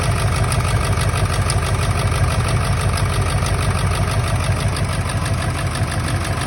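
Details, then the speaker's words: 1999 Ford F-350 7.3 Powerstroke diesel at idle, still running rough: loud uneven lumpy beat about twice a second, missing on a cylinder; injectors unplugged and oil outlets checked, one showing no oil; owner suspects an injector, harness to be ohmed. "Okay, so obviously it ain't running that great still."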